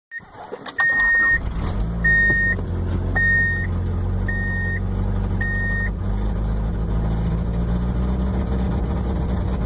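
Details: Subaru starting cold: right after the start, a rough low puffing rumble with uneven chuff at idle plus a few chimes; exhaust leak, runs rough on cold starts.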